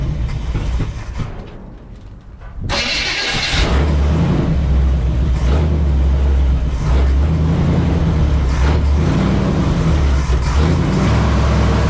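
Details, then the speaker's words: 1968 Chevy Suburban, 396 big-block V8, revived from scrap after distributor work: lumpy idle with a loping beat about four per second; suspected weak cylinder, possibly low compression rather than a miss, to be checked with a vacuum gauge. "this sounds funny, like it's got a dead cylinder. I don't think it's a miss, but like a weak cylinder, might be low on compression."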